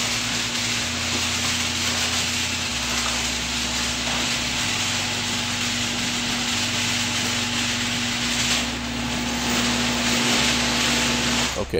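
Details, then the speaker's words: Garage door opening on worn steel rollers before replacement with nylon ball-bearing rollers: loud, rough rattling rumble with steady opener motor hum, measured at 85.1 dB max, 72.0 dB average (74.7 dB max after new rollers). "what I'd like to do is measure what the sound of the door is prior to replacing it with that I'm going to use this decibel meter and we'll go ahead and open up the garage door"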